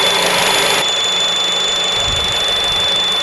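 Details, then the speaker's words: Honda Civic Type R at idle just after idler pulley replacement: steady high-pitched squeal persists from the belt drive area; high-pitched squeal, source unconfirmed. "I'm going to stop that noise because it's horrific. My word."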